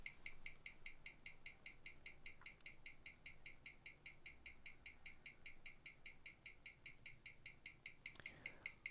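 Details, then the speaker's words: James Bond 007 Gruen Precision 510 17J starburst watch on a Weishi 1000 timegrapher with a 60-second reading. It shares its movement with the Masonic-dial Gruen and reads +32 s/day with 0.0 ms beat error; crisp, even tick and tock at about five a second, healthy. "the readout on this one it's plus 32 seconds a day meaning that it's twice as fast as the masonry dial one the James Bond one is"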